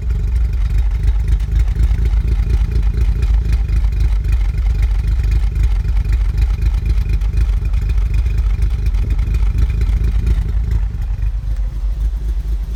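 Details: 2015 VW Golf R DSG, APR stage 2, in park or in drive on the brake, cold or warm: heavy uneven lumpy idle as if about to stall, needle jumping, drives fine; plugs, coils, oil, cam adjuster magnets already replaced.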